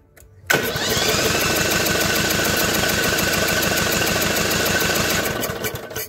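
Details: Briggs & Stratton overhead-valve engine on a garage-kept 450-hour 4016 tractor, cranking steadily about four beats a second without firing during a compression test; the bad cylinder reads low and builds slowly, low compression from a blown head gasket.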